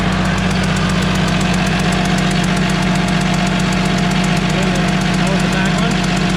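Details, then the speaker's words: DT360 diesel with P7100 pump, after refitting injector with new crush washer: steady sharp ticking puff about four per second over idle, still leaking compression; suspected hardened silicone on crush washer prevented sealing. "Well, as you could hear, started up again, still leaking. I think what happened is we used like a silicone to hold those crush washers onto the injectors while we were putting them down in the hole."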